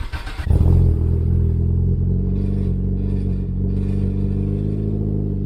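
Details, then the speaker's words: Turbo Toyota Corolla with Borla exhaust, started in rain right after a new battery was fitted (old battery had gone flat): quick crank, immediate catch, brief flare, then smooth even idle with steady low drone, no misses; healthy. "You know, that's one thing about having this car is it does sound really good. So, started up nicely."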